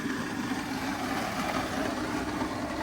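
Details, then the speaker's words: Auction car just started, AC off: engine idles smoothly, but a coarse rough whirring rides on top from the front accessory drive; owner suspects a bearing, possibly the AC compressor bearing, not sure. "But something is making a very rough noise. And it could just be a bearing. It could just be this compressor bearing for the AC compressor."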